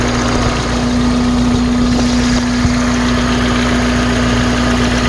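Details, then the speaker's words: 1993 Toyota Corolla idling after power steering fluid flush and refill with ATF: steady idle with faint even hum, no groaning or whining from the pump; belt still needs slight tightening, pump sounds normal. "I don't hear any horrible noises coming from the pump."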